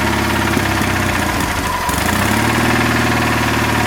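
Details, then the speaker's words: Engine finally started after long cranking on a cold day, still cold so not throttled up: uneven irregular beat that stumbles midway before settling, ran good briefly then acted up. "Man, that took a while. That took a while. Running good for a little bit."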